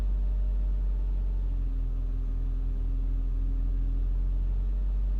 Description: 2002 Saab 9-3 SE cold start rough idle, stall.